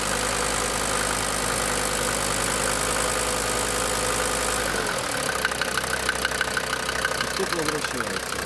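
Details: DB29 diesel, rough idle with throttle blip, foam in fuel and small bubbles in return line after about 3 minutes, not purging: hard irregular clatter about three a second persisting through blip; knock, cause unclear.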